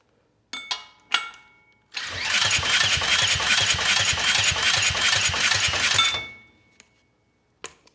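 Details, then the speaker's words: Briggs & Stratton Storm Responder generator engine (21T212-0116-G1, with compression release), previously stuck at TDC with fuel-flooded oil, spun by an underpowered drill during a compression test: steady even pulses, 60 psi as expected, so it will run; carb still needs cleaning. "nice we're at 60. so this engine will run we just got to get it back together and clean that carb"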